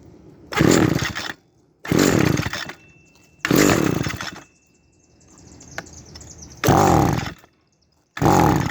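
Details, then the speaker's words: Echo SRM-200BE string trimmer two-stroke: throttle held down gives short revving bursts that misfire, lose power and die, with gaps between; cause unconfirmed. "foreign so that's what happens when I hold down on the throttle and don't let go of it it runs starts misfiring and then loses power and then dies"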